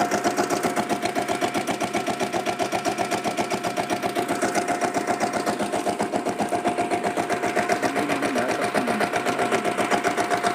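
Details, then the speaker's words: Diesel Bullet motorcycle with self start. The weak battery slows self-starting. Even, steady single-cylinder diesel thump at roughly 230 beats a minute, with no knocks and no clutch-plate rattle. Healthy engine idle. "Clutch பிளேட்டில் எந்த விதமான ஒரு extra நாய்ஸுமே இல்லை. எவ்வளோ சூப்பராக நீட்டாக இருக்குதுன்னு பாருங்கள் இன்ஜின் கண்டிஷனு."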